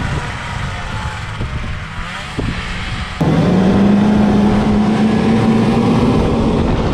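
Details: 1979 Ski-Doo Everest 444 liquid-cooled two-stroke snowmobile, first start after 3 years, ridden around a field under load: settles then pulls into a clean, steadily rising drone with no misses; running great.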